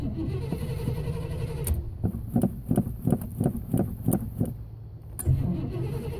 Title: Hard Start in black boulets 2